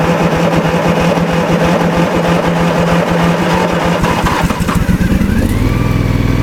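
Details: Cold start of a 1994 Simplicity Broadmoor lawn mower with a 16 hp Briggs engine on a two-or-three-year-old battery: steady, even low thumping, then a clean change in speed with no misses or knocks; normal cold start and idle.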